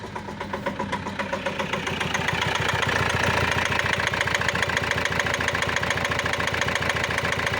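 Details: Renault Master 2 2.5 diesel at idle: a hard, regular knock of about three or four a second over the diesel clatter, getting louder as it settles, along with black smoke; cause not identified.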